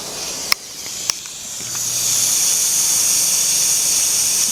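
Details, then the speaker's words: Pressure cooker on the smallest flame: after a couple of clicks a steady, quiet high hiss holds evenly. As long as it keeps hissing, the cooker is working properly. "Mungkin banyak orang bilang pakai api sedang lalu saya bilang pakai adik kecil aja asalkan dia masih mendesis maka artinya presto masih bekerja dengan baik"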